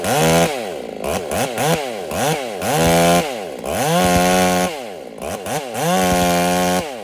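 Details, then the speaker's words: Ported Husqvarna 385 chainsaw during break-in, warmed up one minute, running at full throttle in two cuts: burbling, uneven four-stroking note instead of a clean scream; tuned rich, rings seating, owner will lean it. "I gave it a minute to warm up, and I just went after those 2 cuts, and she's running fat. So that's a sign that the rings are really starting to seat."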